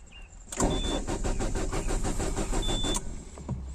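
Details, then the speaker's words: Peugeot 406 with immobiliser fault, during engine ECU replacement/IMMO-off attempt: starter churns steadily about three turns a second for over two seconds, engine never catches; crank, no start. "nie pali jeszcze raz to zrobię powtórzę opcję"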